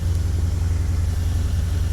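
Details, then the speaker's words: Junkyard 5.3 LS V8 in a 2002 Camaro, just installed, around 1500 rpm with oil pressure fine, water pump gasket leak: smooth, even low rumble at fast idle with no knocks, ticks or misses; healthy, normal idle. "so i think we got a good engine right on the fifth on the oil pressure right now about 1500 rpm"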